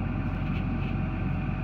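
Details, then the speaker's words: Caterpillar diesel idling after replacement of the electric fuel priming pump and fuel filters: steady, even low rumble with no knocks, misses or hunting; repair fixed the no-start, engine idles smoothly and healthy. "there we go Eureka well looks like I figured the problem out so or I was able to repair it"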